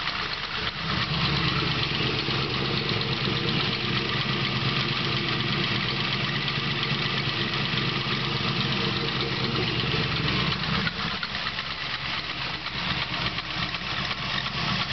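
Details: 383 LSX V8 idling with a busy, uneven knock layered over the exhaust and a faint squeak above it; suspected piston slap, not confirmed.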